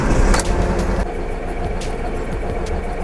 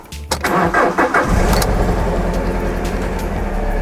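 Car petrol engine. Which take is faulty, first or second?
first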